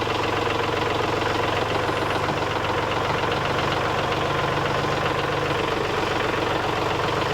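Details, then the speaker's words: Kubota L3901 diesel tractor with LA525 loader after replacing the failed pump-to-loader-manifold hydraulic hose and adding 1 gallon of fluid; steady diesel drone as the loader lifts the rear off the ground, no strain or leaks; normal hydraulic operation. "Alright, as y'all can see now that rear end is lifted up off the ground. The bucket is up on the front. There are no leaks."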